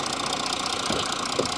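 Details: Audi, microphone close to the engine: fast, light metallic rattle over the running engine; earlier a mechanic found the camshafts had not been locked and engine damage was suspected; the source of the rattle is unknown.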